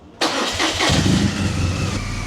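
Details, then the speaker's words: Triumph Daytona 955i project bike: starter spins the engine briskly and steadily but it never catches, cranking without firing because the fuel injectors were not plugged in. "Forgot to connect the injectors. >> Oh, my soul. >> Never [ __ ] plugged them in. All right. So, of course, it's not going to start"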